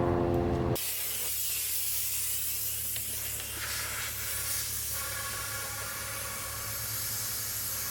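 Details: MINI Countryman R60 (2010–2016) sunroof drain blown through with compressed air: a brief clunk, then a steady, even airy hiss. Air passes freely, and both drains are clear.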